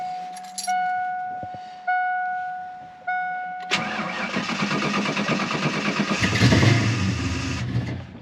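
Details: 1988 Ford Mustang LX with 306 V8, cold start after a new oxygen sensor: several starter tries, then uneven hunting idle with sputters and popping back through the intake, running rich. Owner suspects a bad coolant temp sensor.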